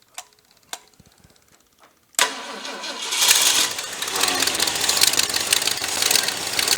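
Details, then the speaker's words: Cobbled-up 390 engine first running again with electric choke suspected not working; a few clicks, then catches into a loud, hissy, unsteady idle from a massive vacuum leak at a hole in the back of the carburetor, with heavy blow-by seen. "'s a massive vacuum leak somewhere on this thing could we see there's a hole something that happened in the back of this carburetor"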